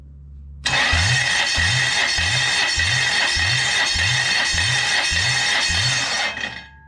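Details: Toyota 1UZ-FE V8, 29 years old, bench-started out of the car: starter cranks steadily at about two even pulses a second with no lighter beats during compression testing; cylinders read around 220 PSI, compression even and good.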